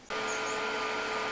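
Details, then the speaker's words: Yellow transfer pump in a Thai countryside water setup pumping water from settling jars up to a stainless tank with float cutoff, about 10 minutes: sharp start, then steady even hum, constant high tone, rushing water, no surging or knocking; normal running. "Donc là, on entend la pompe jaune qui fonctionne, hein, qui envoie l'eau dans des jarres là."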